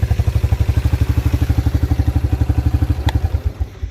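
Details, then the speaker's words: 1987 Yamaha Moto 4 YFM-350ER 350 single-cylinder ATV, pull-started with key on in neutral; steady even thump about four beats a second, settling smoothly before shutting off; fires and idles cleanly, normal. "so you just pull it make sure the keys on so your neutral light's lit and just pull it look at that started right up what a nice atv"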